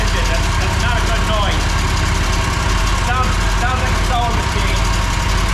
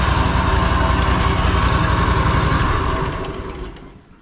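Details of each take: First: Mower V-twin that lost power: fast, light sewing-machine ticking over steady low idle; excessive valve lash, needs adjusting. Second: Riding mower, 500 hours, after repairing a rocker mount loosened by excessive valve lash, plus fresh oil and a cleaned air filter. Even firing beat with no top-end clatter, clean shutoff. Normal running after repair.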